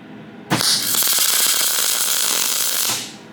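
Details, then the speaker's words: Harbor Freight TIG welder at 130–165 A, running a gas of unknown type instead of 75/25: loud crackling hiss with irregular pops, an erratic arc; a friend suspects bad gas, unconfirmed. "So yeah, this gas is different. You can hear it right then."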